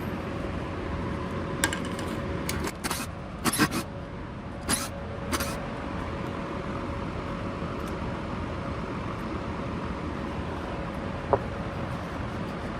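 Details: Vintage Rainbow D2 canister vacuum with a noisy motor: a steady drone with a rough, fixed-pitch whine and a few handling knocks. Disassembly shows the motor bearing has failed, too damaged for cleaning or greasing to fix.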